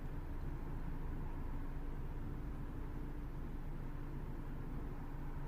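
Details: Ford Focus 1.6 petrol, previously high fluctuating lean idle, after vacuum leak repair: low even rumble at about 768 rpm, fuel trims dropping; smooth normal idle with no hunting.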